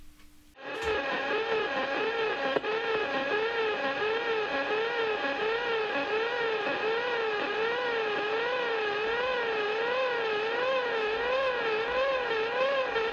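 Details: Receiver tuned near 176 kHz: warbling tone sweeping up and down over steady hiss, fading slowly when switched off; caused by a computer monitor's separate plug-in switching power supply.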